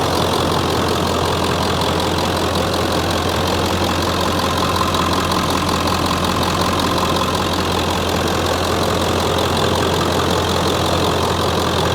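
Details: Ford F-350 7.3L diesel, 6-speed manual, 320,000 miles, idling in summer after an oil change (owner notes a little white smoke on cold mornings): steady, even diesel clatter with a deep firm drone, no misses or odd knocks. Healthy idle.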